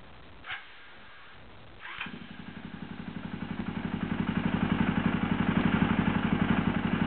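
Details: KTM SXC starter: a couple of sharp clacks as the starter engages, then a steady cranking beat that builds up, from a slipping, worn starter clutch; bad starter clutch.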